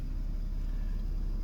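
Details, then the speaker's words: 2014 Porsche Cayman the day after delivery, at idle with check-engine warnings; OBD reader shows code P0303, misfire cylinder 3. Low, uneven idle rumble with a faint stumble: cylinder misfire at idle. "Plugged in, and under engine, the management, it's showing error code P0303, Misfire cylinder 3."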